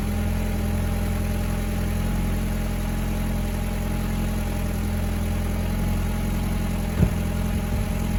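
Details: VW Mk4 1.8T K04 daily driver idling smoothly and evenly with no stumble or miss, after fixing a misfire, rough starts and low compression caused by a cracked head; timing set, new NGK BKR7E copper plugs.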